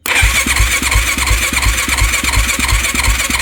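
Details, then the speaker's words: YFZ450 engine, partly reassembled, plug in, timed, tensioner on, cranked on jump pack to check rotation: even compression pulses about three a second with smooth starter whine, turns freely, no binding or knocks; much better than before. "Oh my God, so much better. Let's get it back together."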